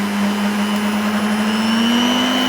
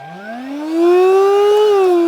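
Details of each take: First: Charity-shop mixer of unknown age on speed control: even motor hum with a thin high whistle rising slightly with speed, like a turbo gone wrong, though it otherwise sounds all right. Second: Discontinued cordless vacuum from charity shop, battery still holding charge: thin whining motor spins up and holds steady but barely any suction, won't pull the flap in; filter probably clogged, dust found inside.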